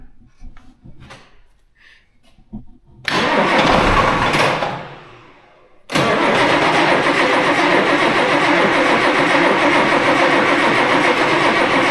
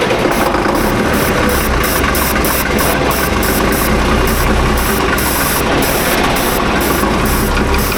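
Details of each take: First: Tractor diesel after new turbo and injectors fitted for high EGT, air in fuel system: cranks and dies, pauses, then catches and settles to steady run; long crank from air in fuel. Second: Tractor diesel with loader, after a new turbo and injectors for high EGT and bleeding air from the fuel system (ether considered): loud, steady clatter with even firing, no stumbling or misfire. Normal running.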